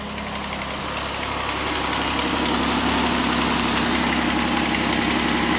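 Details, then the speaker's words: 2001 Pontiac Aztek GT, 170,480 miles, after sitting a year: steady idle with fast fairly even ticking about three or four per second; owner suspects an exhaust leak, probably at the exhaust manifold. "I think you can kind of hear where it sounds like there is an exhaust leak down there probably in the exhaust manifold"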